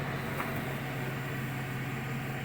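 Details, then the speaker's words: 2008 Chevrolet Silverado V8, 203,000 miles, with intermittent cylinder 6 misfire after new plugs and wires, warmed up and idling smooth and steady with no miss; fuel pump audible; injector dumping fuel suspected. "island nice and smooth"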